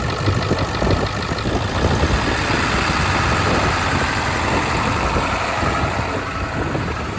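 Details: Ford 7.3 Powerstroke diesel at idle after a new fuel pump and return spring, fuel pressure now 60 psi, with a fuel line still leaking: uneven, loping clatter with irregular dropped beats. Misfire persists; the work made no difference and the cause is unknown.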